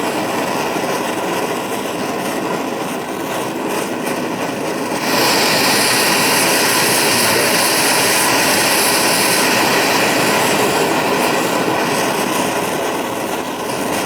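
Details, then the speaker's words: BRS multifuel stove running on petrol, burning it as vapour just after priming. A loud, steady rushing roar with an even hiss, no sputter or surging; it burns cleanly and looks and sounds great. "Looks great, sounds great."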